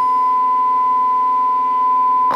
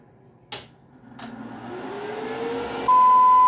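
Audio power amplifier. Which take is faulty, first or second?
second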